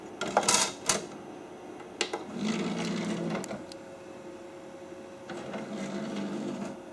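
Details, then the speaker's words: Original Xbox, powered on at the bench, eject button pressed with a disc in: a few clicks, then a short whirring motor run twice as the DVD tray slides out and back; the disc ejects and the mechanism works normally. "Oh, it ejected it."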